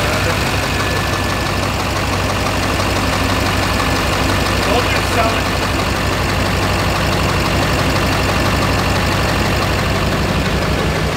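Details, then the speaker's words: Duramax diesel truck (LBZ/LMM cracked piston discussed), shuddered at 55 with a big bang; rough, uneven idle with dull tap about twice a second, seemingly down a cylinder; engine knock and rough idle, cause not confirmed. "We can hear that tap. Hey, is that normal, Ryan? No, that's definitely not normal."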